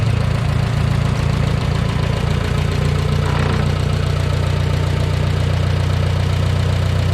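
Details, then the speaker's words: 1969 Minneapolis Moline U302 tractor after engine rebuild, oil pressure confirmed: strong, even low rumble at steady idle with no knocks or misses; engine sounds really good. "But I do have oil pressure because I have good oil coming up to the valve. So pretty happy. Engine sounds really good."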